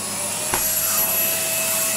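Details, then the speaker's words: Numatic Henry HVR160 vacuum cleaner fitted with a replacement motor and oversized hose: strong, steady high-pitched suction with an even motor whine and brief air thumps; healthy, more than enough power. "oh yes that's actually pretty nice more than enough power from the 2200 watt"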